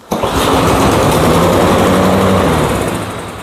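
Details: Cub Cadet mower that would not start, started after a new spark plug was fitted: engine catches at once and settles into a steady, even buzzing run with no misses or stumbles, running smoky. Normal start and run.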